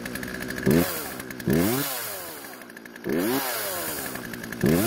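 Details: Poulan chainsaw two-stroke after chain tension and light sharpening: crisp snarl rising cleanly with each trigger squeeze, pulling steadily through the cut and dropping back evenly; running and cutting properly.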